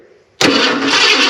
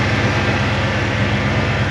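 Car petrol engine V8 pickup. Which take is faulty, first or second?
first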